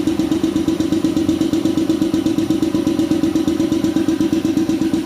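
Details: Shark 1 HP two-cylinder belt-driven air compressor (LVPM-6501, 550 rpm, 83 L tank, 7 bar) filling the tank: steady, fast chugging with even beat and constant midrange hum, no knocks or rattles; smooth, normal running.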